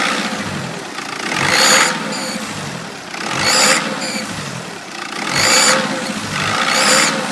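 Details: 2.0 BKP engine after turbo replacement: high whistle rises sharply with each rev and falls back at idle, tracking boost; turbo whistling, cause unclear.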